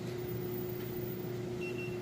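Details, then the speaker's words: GE electric dryer running empty during a heat and drum test; steady low hum with smooth, even drum rotation and no squeal, thumping or scraping. Runs normally. "I just wanted to go ahead real quick and let you listen to it's running it sounds great"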